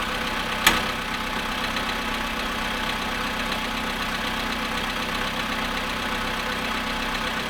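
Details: VW Polo sedan cold start at 0.5 °C after sitting 13 hours: a steady cold idle with a faint, fast tapping knock of unknown origin.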